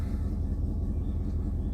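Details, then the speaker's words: 2000 Dodge Durango 5.9 after a "no bus" wait of 8 minutes, then the fuel pump primes: starts and runs with a smooth even idle, no knocks or stumbles; the fault was later traced to a burned fan harness wire; normal idle. "And it starts up and it runs fine."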